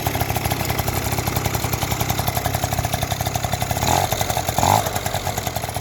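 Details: Yamaha Jog two-stroke scooter that wouldn't start, after cleaning the spark plug and tightening the cylinder head: steady even putter with short throttle blips picking up cleanly; runs and idles properly.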